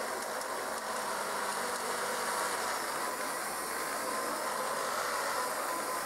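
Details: Kirby 560 vacuum running after a new Lexan fan: steady high rushing run with a faint dry whirr that stays constant. Bad motor bearings; the brushroll is also noisy.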